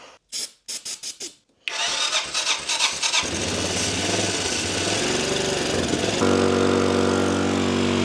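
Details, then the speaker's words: 1985 Honda Elite scooter, carbureted, start with the airbox off and fuel reaching the carb. Several short cranking bursts, then it catches and runs high and uneven, smoky and pulling its own fuel from the tank. It will not idle. "it is running and pulling its own fuel from the tank idle is nowhere near happening"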